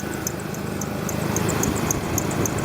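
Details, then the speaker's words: Car engine idling, accessory belt drive: sharp chirps about every quarter second in step with belt; idler pulley bearing worn and wobbles by hand, power steering pulley ruled out; idler pulley to be replaced. "ving I'm able to shake it back and forth so that's my problem the other thing I thought it might be is the power steering but that pulley is not going anywhere so I'm pretty sure I just diagnosed the problem to be the idler pulley"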